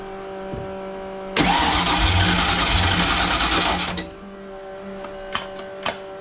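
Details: Fox-body convertible project with a supercharger and rebuilt carburetor: catches and roars about three seconds then falls abruptly to a faint, uneven run, won't hold idle off choke; owner suspects the carburetor, something plugged in the mid-range circuit. Cause suspected, not confirmed.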